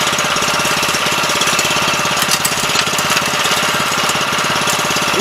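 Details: 7 HP Kohler air-cooled engine on a small hydraulic power unit, not run in at least two years, first start after carburetor cleaning: quick, even popping idle at steady speed, no stumbles or surging.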